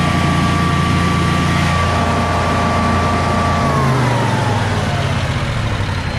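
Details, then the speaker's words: Generac Guardian 16kW standby generator running on gas after refurbishment, carrying close to 6,000 W of heaters: a steady, deep drone holding speed with only a slight dip as load comes on, carrying the load without hesitating. "foreign under close to 6 000 Watts didn't even hesitate I think I like this machine"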